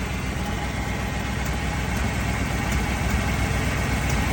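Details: 1979 Dodge Ramcharger after 15+ years sitting, cold day, mechanical fuel pump primed and running: steady, low, even rumble at idle with no knocks or ticks between backfires; motor quiet and smooth.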